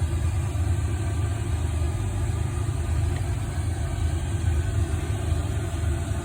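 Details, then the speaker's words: Newly installed diesel heater running with its fuel pump going: a steady, even low roar with no knocks or surges, set to 40 degrees and putting out plenty of heat; burning smoothly, normal operation. "So I think I got this new diesel heater working. It's the fuel pump's going, and you can obviously hear it."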